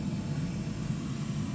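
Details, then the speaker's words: Commercial oil burner that had been locked out (E5), after oil preheater finishes; steady low even fan and pump rumble during pre-purge, no surging; starts and fires with blue flame. "so once the heat is done here we go starting to run does a pre"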